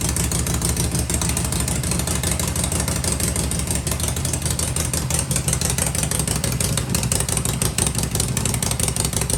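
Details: Harley-Davidson Shovelhead V-twin at fast idle with pipes covered to hear the motor: steady, even beat, very quiet with no ticking or rattling; engine sounds healthy, normal running.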